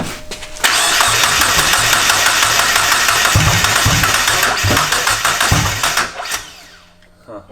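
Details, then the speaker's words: JDM turbo Miata on MegaSquirt, first start attempt; steady cranking with a few stumbling catches that never run, RPM dropping from 200 to 0, timing erratic: no start from erratic crank position signal off damaged crank pulley markings. "Seems like the timing's all over the place. Alright, so the crank position sensor, which measures where the crank is on its rotation so the car knows when to fire, it actually uses a sensor and it uses markings on the crank pulley to figure out where it is."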